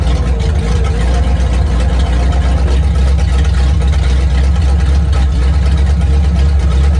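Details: 1950 Ford flatbed dump truck, flathead V8, sitting about 40 years, idling on its carburetor after fuel system hookup; deep, steady rumble, no knocks, misses or ticks, runs like new, cooling system needs work: normal idle.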